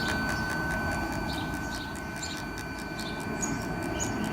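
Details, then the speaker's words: Parking sensor tested with ignition on and reverse selected after continuous fault tone: faint fast even ticking, about four a second, over idling rumble, felt via screwdriver; sensor working. "test the sensors is these bits here produce a ticking noise and she could probably hear the tones changing where I'm touching it"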